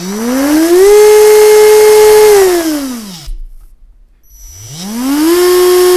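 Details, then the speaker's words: Rebuilt CrawlMaster Sport brushed RC motor, timing set with slight advance, run forward then reverse before break-in; clean whine, forward noticeably faster and higher-pitched than reverse, as intended; normal brushed motor run. "advance and just audibly we can hear that it is faster in forwards than it is in Reverse at this point"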